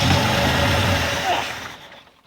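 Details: 1984 Ford F-150 abandoned in the woods since 2008, first start attempt in ten years with new battery and gas: engine turns over with rough uneven churning that never catches, then fades; cranks but won't fire.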